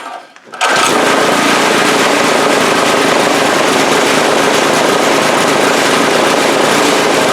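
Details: 2002 Briggs & Stratton 3.5 HP push-mower engine from the trash, with no blade or heavy flywheel fitted: loud, fast, uneven chatter with a ragged, spitting beat and a puff of black smoke; sputtering, carburetor diaphragm or rebuild suspected.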